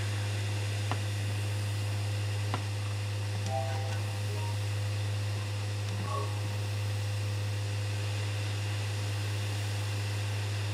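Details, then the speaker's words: PS5 after repair of a disc drive whose laser sled hit the motor and clicked, giving unreadable disc errors: a steady low hum with a faint, even whirr and no clicking or grinding as it reads a disc — normal disc drive operation. "Sounds good. As you can hear, making all the correct sounds now. There's no clicking, no grinding."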